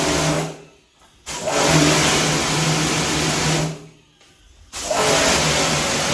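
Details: Pumkin Chicaco high-pressure washer, originally with no pressure, tested after repair: motor and pump hum steadily with a strong spray hiss, cutting out twice between runs. Pressure is back strong and adjustable, and the unit works normally.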